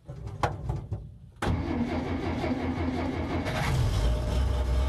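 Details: 1966 Dodge D200 3/4-ton with original slant-6 and clutch, carburetor with manual choke, about 40k miles, cold start after pumping gas: uneven cranking over a second, then catches cleanly and settles into a steady, even idle.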